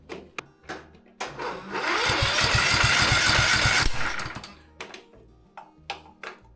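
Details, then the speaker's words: Worn engine in a reworked MTD Gold ride-on mower that won't start, during a compression test: slow, even cranking at about four pulses a second for two seconds, never catching; about 80 psi against about 120 expected, low compression suspected as the cause. "this is showing just about 80 psi compression. It's supposed to be about 120. So I think that's what's wrong,"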